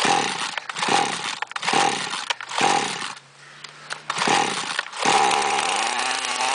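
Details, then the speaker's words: Chainsaw that wouldn't start because it was flooded, after draining fuel from the cylinder, blowing out and refitting the spark plug; fires and revs in bursts then settles into a steady even idle, normal running. "Как видим, пила в отличном состоянии и всё готово к работе."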